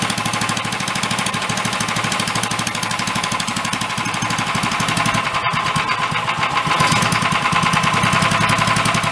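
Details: Free 13 hp Honda clone engine meant for a go-kart, warming up after a valve adjustment: rough, fast, uneven deep knock over the engine beat that grew louder the more it ran; cause unknown.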